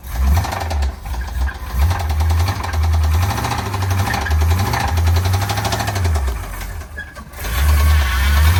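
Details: Square-body Chevy dump truck small-block V8, found about 3/4 low on oil: a deep, heavy, pulsing knock over a lumpy idle that sags before the engine dies; a rod bearing is suspected.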